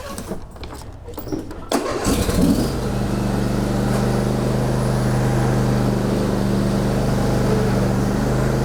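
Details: John Deere D130 riding mower after reinstalling the missing transmission axle key, started for a quick test: cranks briefly, catches and holds a steady, even idle hum with no misses or hunting; running normally.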